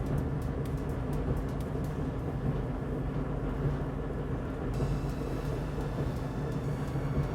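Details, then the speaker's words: LG dryer after lint clean-out and squeaky rear roller replacement, reassembled and run on normal heat: steady, even low drum rumble, no squeal or rhythmic thump; drum turning smoothly, operating normally. "Okay, so let's turn this guy on. We'll run it on normal so we can get some heat going through there."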